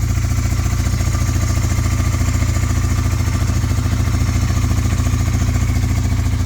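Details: 1998 Honda 300 4x4 ATV, sitting for years, running steadily after a Honda Foreman 450 carburetor was installed and the gas tank vented; fast, even single-cylinder thumping with no misses or stumbles, no smoke. Normal running, though it later stalled (suspected CDI).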